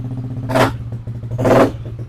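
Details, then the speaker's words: Yamaha Aerox scooter after repair of a dead, no-start condition caused by a faulty body wiring harness; fault codes reset, TPS 17.6, engine 50 degrees, idle stable at 1600 rpm. Steady low idle, two quick throttle blips dropping back cleanly; normal idle. "untuk RPM stabil di 1600. Oke."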